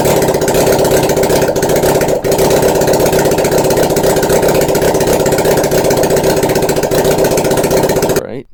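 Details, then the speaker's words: 1981 Honda CB750 four on simplified wiring, running once the black/white wire that powers the CDI units was connected: a very loud, raw, crackling bark at a steady fast idle with no exhaust headers fitted. "once I connected that up after some mocking it out we get things to start up I don't recommend doing this without headers"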